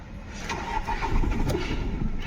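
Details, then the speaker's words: Skoda Rapid diesel with misfire, blinking glow plug light and injector circuit codes for cylinders 3 and 4 (P0204 active); after clearing codes, the starter cranks and the engine catches briefly, then dies: hard starting and stalling. "Engine start नहीं हुआ गाड़ी बंद पड़ गई वास से रे देके स्टार्ट करता हूं य स्टार्टिंग प्रॉब्लम भी है गाड़ी में"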